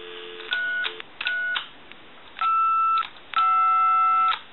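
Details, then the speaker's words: Original Mickey Mouse telephone on a dial-tone line: first keys give clean tones but the five (and sometimes six) key gives a muddled tone, keypad not creating the correct frequency; faulty DTMF keypad. "well the five doesn't work right I'm going to give you some dial tone we'll do the five and you'll hear the funny sound coming from the five and the six once in a while"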